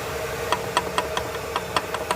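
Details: GM 1.4 engine, oil pan removed, gives sharp, deep knocks about four or five a second over a quiet idle. This is rod knock from the bottom end; teardown showed wear at the crankshaft.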